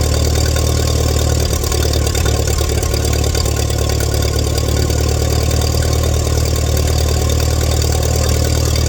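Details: 1947 Allis Chalmers WC tractor that fired but wouldn't stay running: after checking the fuel and adjusting the idle mixture screw, a deep, steady, even idle with no misses or stumbles. Normal idle.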